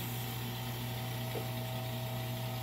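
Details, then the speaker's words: CM VO19 vacuum oven pump running with the air outlet switch closed, drawing the chamber down toward -29 before auto shut-off; steady low motor hum with even whir, no knocking or rattle, normal running. "And it'll just pump it all the way down to negative 29, and then the pump will shut itself off."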